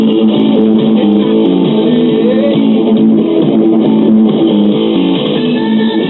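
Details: Circa 1974 GE all-in-one stereo (AM/FM radio, 8-track) with dead left channel, after replacing capacitors with original-type polarized electrolytics: radio music plays full and steady, no hum, crackle or dropouts; normal playback.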